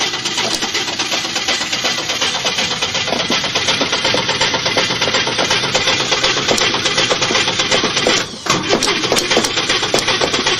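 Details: 1955 Chevy hard start with pedal pumping: long, steady cranking at roughly 160 beats a minute with a bouncy, uneven cadence that does not fire; after quite a few attempts it comes to life.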